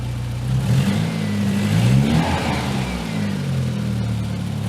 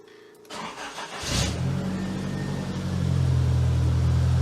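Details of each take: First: Nissan S12 200SX turbo project with makeshift scrap-pipe Cherry Bomb exhaust, idling well, revved in sweeps: sharp lean pop back through the intake near the end; owner suspects timing despite rechecking, fuel pressure also suspected. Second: Nissan S12 200SX project car, cold start after extensive work: brief crank, catches at once into a smooth, steady fast cold idle without stumbling; no sign of massive vacuum leaks, healthy start.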